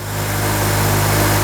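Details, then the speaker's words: 2004 Honda Element, Honda K-series engine, after replacing the screeching serpentine belt tensioner: smooth, even idle with a steady low hum and no squeal or chirp from the belt; quiet and healthy. "Start it up, make sure everything's good. It's all quiet now."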